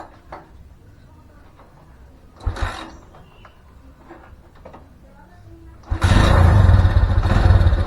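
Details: Honda Mega Pro single-cylinder engine after fitting a new aftermarket NIK clutch cable and adjusting free play: quiet handling noises, then steady even putter with no slipping or rattles; runs normally.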